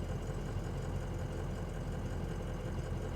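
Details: 2004 Ford Excursion Limited 6.0L Powerstroke diesel 4WD, 202k miles: smooth, even idle heard from the cab, low steady clatter with no knock or stumble; healthy engine.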